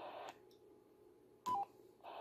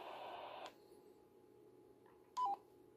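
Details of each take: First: BaoFeng UV-S9 receiver with squelch tail elimination (STE) turned off on the transmitting radio: soft hiss, a short burst as PTT is released, then the static returns immediately with no muting. This is the normal squelch tail. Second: BaoFeng UV-S9 receiving while the transmitter has STE and repeater STE set: the hiss drops to near silence for about three seconds with a brief tone, then returns. The owner believes the STE tone causes this intermittent muting.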